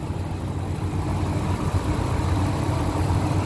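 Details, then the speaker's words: 1999 Ford F150, 5.4 V8 (not the three-valve type), about 99,845 miles, retired over bad rust; steady, even V8 idle with smooth low rumble, no misses or knocks; normal idle. "you can hear it's running good but this is a good"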